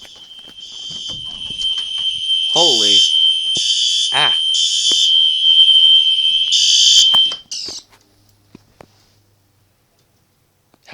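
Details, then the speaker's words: Home fire alarm sounding randomly with nothing activated; piercing high pulsing tone in bursts then cutting out; false alarm traced to a short in the 270-SPO pull-station switch, which was fixed. "is that possible somehow the fire alarm went off when nothing's activated"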